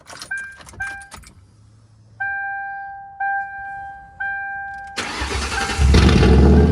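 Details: 2003 Ford Crown Victoria P71 ex-police V8, cold start recorded from inside the car: door chimes, then it catches and runs loud and uneven; a cylinder misfire from stripped spark plug threads needing rethreading.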